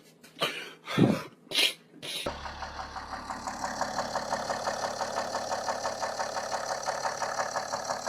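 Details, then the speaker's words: Cheap BMW 430d diesel non-runner, first start after sitting: light, fairly regular knock about twice a second under the diesel clatter at idle; definitely knocking, failing rod bearing suspected, oil discoloured. "Oh, it's definitely knocking."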